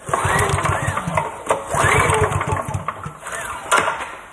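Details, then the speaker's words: Older Honda generator that refuses to start: repeated recoil pulls give short chuffing bursts that never catch. No spark seen at the plug. "I don't see a spark well that's not good"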